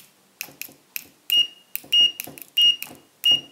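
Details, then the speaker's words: Fluke 101 multimeter, possibly a knockoff, on continuity test: short high beeps in bursts about once a second, some rough or cut short, many missing; scratchy intermittent continuity buzzer, speaker possibly misaligned. "misses a lot of the time but when it does sound I don't know if you can tell but that sounds scratchy it doesn't sound right to me maybe this is a knockoff"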